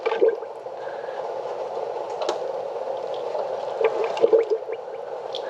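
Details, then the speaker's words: 2005 Chevy Impala after rack and pinion and power steering line replacement, engine off while the wheel is cycled: gurgling, toilet-flush bubbling as air bleeds out of the power steering fluid. "You hear that air coming out? Sounds like a toilet flushing. Yep, it's definitely bleeding."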